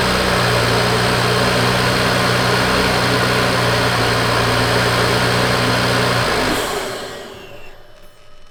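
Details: Big-turbo BMW after its dead alternator was rebuilt, now charging slightly high: a steady, even idle hum with a smooth low rumble runs for six seconds before the engine shuts off; a healthy idle.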